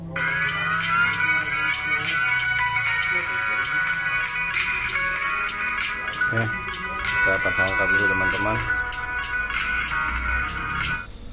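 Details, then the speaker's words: Samsung A04e phone loudspeaker, quiet after dropping into a bowl of chicken marinade, tested after repair with back cover off: music fairly loud but thin and harsh, almost no bass; still tinny. "karena dirasa agak cempreng walaupun suaranya sudah lebih besar dari sebelumnya maka kita pasang utuh dulu semuanya dari backdoornya juga ya teman-teman ya"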